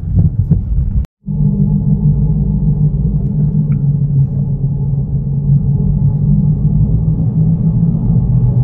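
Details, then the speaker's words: Toyota Yaris on a road test at somewhat higher speed: a steady low droning hum felt strongly from the rear. A worn rear wheel bearing is suspected but not confirmed. "ini kerasa banget bunyi nguk itu dari belakang. Kemungkinan ini bearingnya ya."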